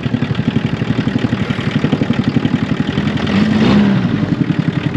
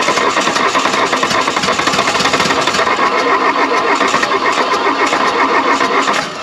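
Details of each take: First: Old VW Golf I diesel revived from wreck, restarted after belt reinstalled and cool-down: even steady diesel clatter, about four pulses a second, no misses or knocks, slight white smoke believed unburnt fuel that should clear; normal idle. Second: 1979 VW Mk1 Rabbit diesel, revived wreck, cranked after belts and pulleys refitted and a cool-down: fast steady starter churn with a few stronger beats as cylinders try to catch, never runs; no coolant yet, cause unconfirmed.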